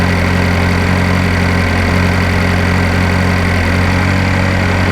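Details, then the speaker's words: 2012 GMC Terrain 2.4L EcoTec idling after the timing chain and balance chain replacement: smooth, steady low hum with no ticking or rattle, a ton quieter than before the repair. "So that is a ton quieter."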